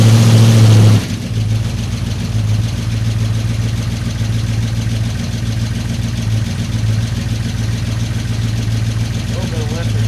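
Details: 1955 Chevy 210 Delray with a 265 V8: a steady, even idle beat with no knocks standing out, though a tiny lifter noise was noted. Normal idle.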